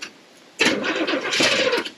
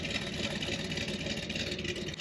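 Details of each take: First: 1979 Corvette C3 small-block V8 that had been sitting, with a battery that sat a while: the starter grinds sluggishly for about a second without firing and quits; a weak battery cranks too slowly and needs charging. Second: 1979 Corvette small block with a mild cam, which has been sitting: an even, steady idle with a crisp exhaust note and lope, no ticking or misses. Normal idle.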